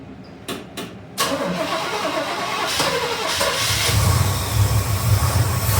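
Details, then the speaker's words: 1971 Chevy C10 shortbed; owner sees no accelerator-pump squirt and sprays brake clean in the carb. It cranks long and steady, briefly pops off, then dies and is cranked again. "let's try it out see if it pops off there we go and of course she dies give her another try here"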